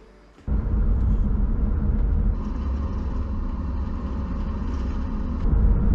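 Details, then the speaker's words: 2005 Infiniti G35 on a test drive after a front wheel bearing replacement for a speed-related vibration: low, even road rumble at speed with no growl or rhythmic hum; normal road noise, bearing now healthy. "hear that just normal road noise yes fix the problem good to go now nine day difference"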